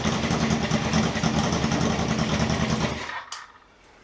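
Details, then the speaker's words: Misfire on a 1978 cafe scrambler motorcycle after fitting new spark plugs: uneven, stumbling beat around three per second with throttle blip, better but still not right; unfiltered fuel from old tank suspected. "well it's definitely better but it's still not right"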